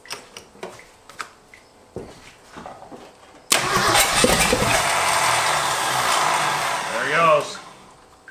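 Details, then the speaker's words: Abandoned Ford F250 revived after 26 years, started after fitting a new starter: cranks and catches with a rough, uneven note, runs about four seconds, then sags and dies; it still won't run without choke. "Still won't run without a choke. Still won't run without a choke."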